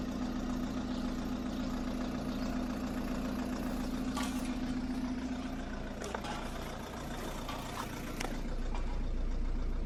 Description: Golf 2010 tdi dsg idles rough on cold start.